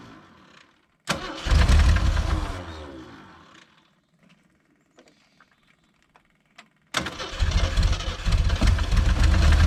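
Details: 1980 Jeep CJ with 258 inline six, sitting 20 years: fires and runs rough a couple of seconds on a temporary feed, cuts out when removed, then restarts; ignition coil lacked a ground.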